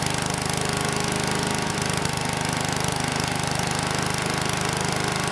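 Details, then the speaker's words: Troy-Bilt Chipper/Vac model 47279 with Tecumseh H50-65582U single-cylinder engine, revived project machine: steady putter about two beats a second, no misses or knocks; engine sounds good and drive system works, carb not yet fully tuned. "That was a pretty good test. The engine still sounds good, and the drive system works as well."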